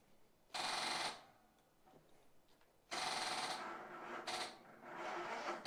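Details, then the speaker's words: Car that started days earlier: short bursts of rapid clicking on each key turn, engine not cranking; owner suspects the battery failing again. "Oh man, this is terrible. It doesn't want to start. Sounds like the battery is gone again."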